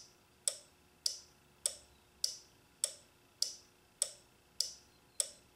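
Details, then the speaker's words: Toyota/Nissan four-pin automotive relay tested on a relay tester: crisp, evenly spaced clicks each cycle, so the relay pulls in cleanly and is good. "I hope you can hear it clicking I can hear it clicking every time we know that one's good"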